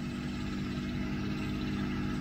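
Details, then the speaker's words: 1992 Mercedes 600SEL V12 at cold idle, steady idle with constant droning whir from the mechanical secondary air pump, loud and annoying but normal; heard during right exhaust pipe damage repair. "air pumps on these cars mechanical air pumps they are quite loud that is true quite annoying but it is what it is"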